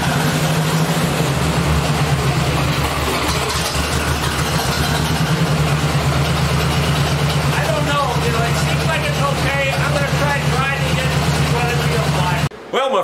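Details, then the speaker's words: 1964 Ford 4000 tractor after electronic ignition conversion and timing adjustment: steady, even low drum with no misses or knocks, firing cleanly; owner feels slight power loss, possibly a bad wire or plug. "friends, the tractor seems to be running pretty well. There may be some other problem. Maybe there's a bad wire, maybe there's a bad plug, something like that. But it seems to be running just about right."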